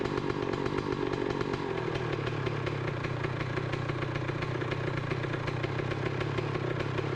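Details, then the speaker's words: 2007 Honda CR125 two-stroke, just started with one kick: a steady, crisp idle with an even popping beat and no knock or needle-bearing rattle. The engine sounds healthy. "one good kick and it started right up doesn't sound bad uh i know the camera is going to pick up more noise than what i'm hearing but it's not knocking i can't hear the needle bearings or anything good"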